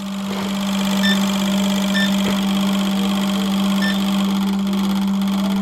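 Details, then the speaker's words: eBay turbo Civic fuel injectors under a low pulse-width bench test: fast, even injector buzz with a steady low hum, changing pitch as the injectors cut out around 2.1–2.3 ms, nearly all off by 1.7 ms. "yeah they're starting to shut off [Music] right around 2.1 milliseconds 2.3 there you can hear that they're good listen if you can on the camera did you guys hear the change in Pitch and this one's completely like off now it's not even spraying"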